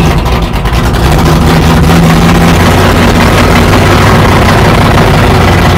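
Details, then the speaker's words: 1969 Plymouth Barracuda 440 V8 after fuel problem sorted, electric fuel pump giving about 8 psi and strong oil pressure: loud, deep, steady, even idle with no knocks or ticks; back to normal. "so we've got fuel pump or fuel pressure we got everything so she's back to normal anyway"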